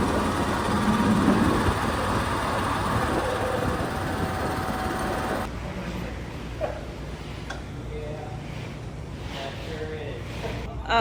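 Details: BMW N52 engine after coolant reservoir ran empty and added coolant vanished, clunk on restart: loud rough running with uneven knock two or three times a second before cutting out; internal damage suspected.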